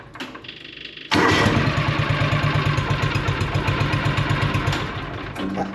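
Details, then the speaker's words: John Deere Gator 6X4 sitting since 2014, choke lever stuck, hour gauge not working so hours unknown: fires after a second and settles into an even twin-cylinder putter about four per second; healthy idle, starts easily and quickly. "I just all I just can't I can't I'm baffled on how easily and quickly this thing starts"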